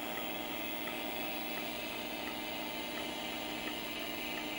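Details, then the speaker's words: LaPine Titan 32 MB RLL mid-1980s stepper-motor hard drive, after days of sounding terrible and failing to initialize, now running a low-level format: steady spindle hum with a faint seek tick about every 0.75 s; healthy operation. "this drive has sounded like utter crud and then one random boot up it's initialized properly and now it's formatting and it sounds wonderful"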